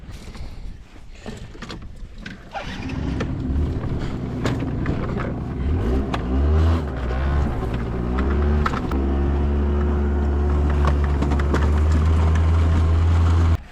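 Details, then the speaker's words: Honda Odyssey off-road on desert trials after final repairs: uneven revs, then a labouring drone, then it cuts out abruptly. Owner suspects fuel starvation from a vacuum in the unvented fuel tank. "really wonder why it died again though I think it was it had to be fuel has to be it sounds like fuel to me I think it's just starving"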